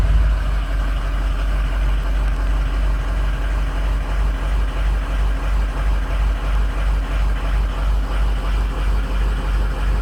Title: 6.0 Powerstroke cylinder contribution test bad injector 5 2 and7